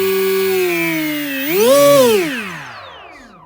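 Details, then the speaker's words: Model plane with a cheap or 3D-printed propeller after balancing on a propeller balancer: clean motor tone rises, peaks and winds down evenly, much quieter, with no humming or vibration. "so now as you can see i just have balanced it and i put the propeller on it's much quieter there's no like humming or vibrations"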